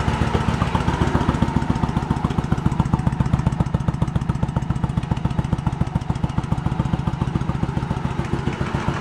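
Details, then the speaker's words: 1986 Yamaha Virago 1100 V-twin, sat about six to seven years with fuel in it: slow, evenly spaced single thumps with no companion firing, running on the rear cylinder only; the front cylinder is dead, and the owner suspects fuel supply at the front float bowl. "Front cylinder's not doing anything. I got nothing on that front."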